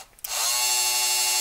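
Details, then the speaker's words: Motorized Walters bascule bridge model, gearbox run at 5 V (6 V recommended), loose connecting rod: motor winds up to a steady, consistent whir with no labouring; smooth, healthy operation. "pay attention to the gearbox noise can hear it's very consistent and it doesn't get high low"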